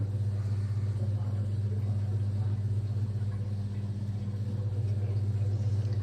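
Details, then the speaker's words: Whirlpool washing machine that the customer says suddenly got very loud: at switch-on the motor drives the drum directly, with a heavy, steady low rumble pulsing about four times a second. Faulty control board and broken suspension. "Customer ಭಯಂಕರ fund ಬಂದುಬಿಡ್ತು sir of ಮಾಡ್ಬಿಟ್ಟೆ sudden ಆಗಿ ಅಂದ್ರು ಬಂದು ನೋಡಿ on ಮಾಡಿದ ತಕ್ಷಣ motor direct ಆಗಿ ಸುತ್ತಾ ಇದೆ ಸರ್ ಈತರ ಬರ್ತಾ ಇರೋದು ಸೌಂಡ್"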